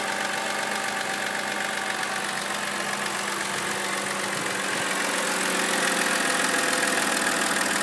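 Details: 2007 BMW X3 E83 with the 2.5 L N52 engine at a steady idle. A fairly even light knock at about three per second rides over the engine noise; cause not evident by ear.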